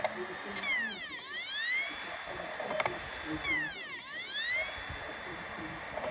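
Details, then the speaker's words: PS4, up-to-date software, clean unscratched disc inserted: drive motor whines up then sags about every three seconds, never reaching read speed; dirty laser lens, fixed by cleaning it. "but when you pop the cd in you can actually hear it trying to run it's trying to spin but for some reason um it's not being read so it can't spin up to the appropriate speed"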